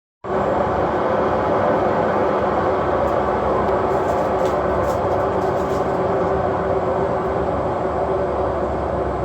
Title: very bad bearings